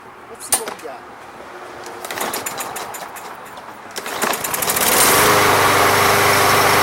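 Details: Briggs and Stratton lawn mower (MTD), after Seafoam fixed a no-start without carb removal: after clatter and handling noise it fires and holds a steady, even drone with no surging or dying.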